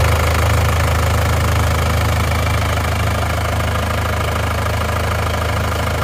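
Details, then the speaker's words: Isuzu Panther diesel idling cold (temperature gauge still on C, just started) after engine overhaul for heavy blow-by from running out of radiator coolant; two liners replaced and reversed, new piston rings; steady even low rumble, no misses; normal idle. "suara mesinnya istimewa"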